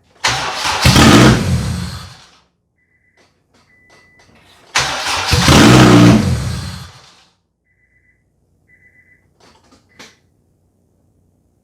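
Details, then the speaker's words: 1996 JDM Honda CR-V RD1 AWD with a K24 swap, automatic chassis and Kpro: twice it cranks, catches with a quick rev, then dies within seconds (fuel pressure unknown); it keeps running if the key is held, so a broken ignition switch is believed to be cutting power. "well as you can see if i play around the ignition after i've started it it will continue to run so what i have is a broken ignition switch i believe this this is what failed"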